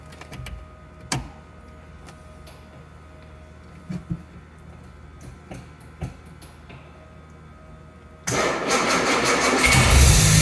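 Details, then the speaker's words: Original 1962 Jaguar E-Type 3.8 with a rebuilt engine, first start in over 40 years after the oil system was primed and a new exhaust and radiator fitted: quiet clicks, then the straight-six catches sharply and climbs into a strong, even run. Normal start. "running good look at that wow"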